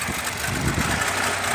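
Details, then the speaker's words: 2014 Nissan Altima with P0011/P0014 codes, check engine light on, won't idle and stalls: uneven, lumpy idle with RPM jumping around and wavering beat; rough idle from stuck exhaust timing control valve. "if I give it gas oh yeah she's running really rough I don't know if the guys can see the RPMs jumping around there so the check engine lights on"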